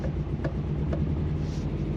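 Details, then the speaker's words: Subaru WRX engine after suspected timing belt failure, reassembled with covers and balancer back on: sharp ticks about every half second over a low drone; heavy ticking, cause unconfirmed, still ticking under boost. "it's definitely ticking really really bad really really bad may maybe it's"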